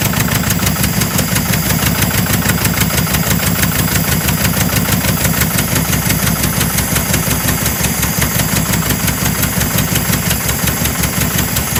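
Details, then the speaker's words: 1976 Porsche 914 VW Type 4 engine running after 30 years in a barn: uneven, lumpy beat with a faint irregular knock underneath; rough running, cause unclear, owner thinks it needs a rebuild. "it's got a bit of a knock it's running pretty rough guys"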